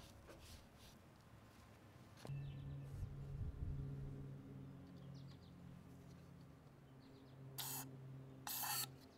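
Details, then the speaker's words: MTD riding mower with a Briggs IC engine (model 28D707), about 27–30 years old, first start after nearly 20 years stored, carburetor not yet cleaned. It starts about two seconds in, then a steady low putter with a couple of sharp bangs; it runs acceptably. "right that sounded really good considering it's been 20 years since this engine has fired up"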